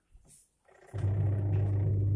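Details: Twin-tub washing machine wash motor after the dead or weak capacitor was replaced. A short click, then a steady, even low hum as the motor turns: normal running.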